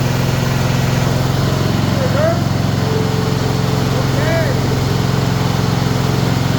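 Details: Bolens ST120 Hydro lawn tractor after refitting missing pulley shaft key, belt and spring, deck removed, testing drive: single-cylinder engine chugging at a steady fast beat, even firing, no knocks or misses.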